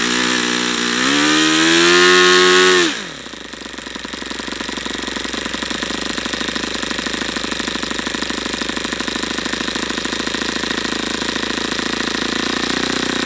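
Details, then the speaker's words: YS FZ63 glow model engine, first run, 22% nitro/18% oil fuel, OS F plug: high pitch climbs briefly then sags to a lower steady buzz, never reaching full throttle; owner suspects debris in the fuel regulator. Engine not reaching full throttle. "a it's just as odd I don't understand why it's not going to Full Throttle now what am I seeing in here strange stuff there we might have some garbage in this fuel regulator that's going to need to be cleaned out"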